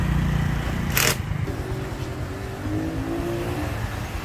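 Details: Honda Future 2014 motorbike after clutch rebuild, valve lapping and cam-chain tensioner replacement; steady, even low engine beat with no chain rattle or ticking, where it whined loudly before the repair; engine sounds healthy.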